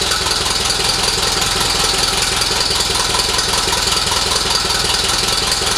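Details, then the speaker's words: 1948 Silver King tractor after restoration and engine reassembly: even idle at about 2.5 pulses per second, no knocks or grinding; normal healthy running, possibly nearly out of fuel. "Think We R out of fuel but sounds good all right well there we go guys we got her up and running again tested her out it sounded pretty good"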